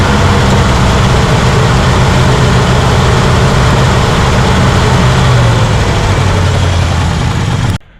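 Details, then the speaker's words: 1967 Chevrolet Impala 283 V8: deep loping uneven idle that never smooths, then shuts off; miss unchanged after about a quart of ATF through the carb, so not a gummed valve but a mechanical problem, likely a cylinder not sealing. "it's not making any difference the uh we don't have a we don't have a gummed valve we have a mechanical problem like I said"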